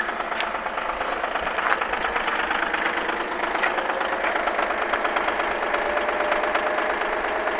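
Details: Audi A6 V6 TDI 110 kW diesel at idle: strange fast, uneven ticking clatter about twice a second over the usual rattle; cause not pinned down.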